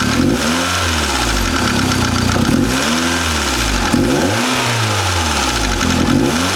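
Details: Mazda Miata, brand new built motor with Wiseco FM pistons and Belfab rods: revs rise and fall repeatedly with a harsh, diesel-like clatter; knocking with no known cause.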